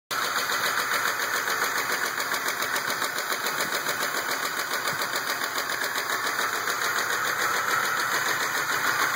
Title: 2004 RAM 1500 engine knock